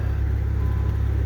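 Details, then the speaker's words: 1988 Shelby CSX-T, AC off so noisy compressor is silent: smooth, deep, even idle pulse with no rattle or tick; quiet muffler, engine sounds quiet and solid, normal idle. "It's a decent sounding muffler on the car, and it's quiet. It performs well. Here the engine sounds quiet and solid."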